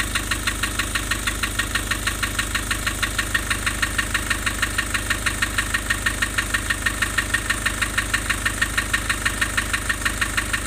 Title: Nissan Urvan Estate ZD30 E25 rough idle and white smoke loss compression